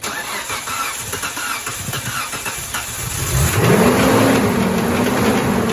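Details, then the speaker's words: Mitsubishi Montero, 190,000 miles, unrun for a year and a half (possibly bad gas), previously said to have a snapped timing belt: cranks a few seconds, catches with a surge, settles into an uneven lumpy idle; rough idle. "well straight up idling I mean it's not good something is definitely pissed but I mean it's like drivable right now"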